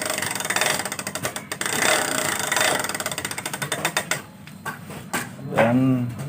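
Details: Honda Vario 110 FI scooter in for CVT service, rough noise: fast dry clicking as the front wheel spins freely, from a worn front wheel bearing; front end wobbles and steering head bearing is also badly worn.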